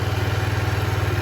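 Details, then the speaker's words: 2007 Diamo Retro 50 GY6 scooter with a new intake tube, running after a starting-fluid start, with fuel flowing. Steady low putter, even pulse about fifteen beats a second, no knocks or misses. Normal idle. "And she's continuing to run, so we know fuel delivery is not the issue. See, that's all full. Our fuel is flowing."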